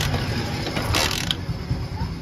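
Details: Hero Honda Splendor single-cylinder bike that missed and died while riding, after starting coil replaced: ratcheting kick-start clatter with faint turnover and no firing, cranks but won't catch.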